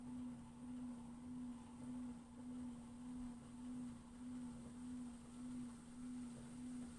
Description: Brand new LG FWY606WWLN1 washer-dryer. Wondering if this whining noise while drying is normal or a fault. It's unfortunate that the otherwise very quiet performance of the machine is compromised by the noisy and high-pitched drying fan.